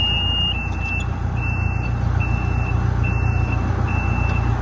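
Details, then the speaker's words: 140 digger (10K hours), reversing alarm checked: steady high-pitched beeps about two per second over rumbling diesel idle. Reversing alarm working normally. "Yeah. Reverse works."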